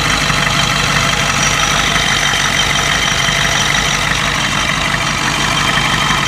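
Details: 1992 Ford 7.3 IDI diesel idling rough with an uneven knock about three per second and a hissy chuff. The random misfire comes with intermittent blowby. Teardown found the second ring broken on two pistons, plus one bad valve guide.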